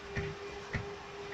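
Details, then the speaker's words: Range Rover Vogue, rear left knock that the client feels is the shock absorber not holding. Running gear was checked, with wheels tight and bushings intact. Three dull knocks about half a second apart as the wheel is levered with a pry bar; the shock is suspected. "вот он этот стук у нас колесо прыгаю такое ощущение что это аморт не держит"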